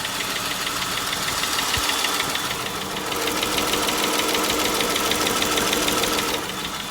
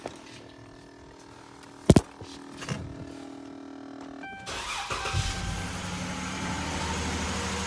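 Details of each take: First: 2011 Dodge Charger 3.6 V6 at idle: steady quick ticking about three per second, likely a stuck or oil-starved lifter from bad oil and overdue oil changes. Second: 2011 Dodge Charger 3.6 after engine and cooling repairs: quiet ticks, starter catches around four seconds, settles into steady even run, loud at first start then calming; some belt noise noted; clean healthy start.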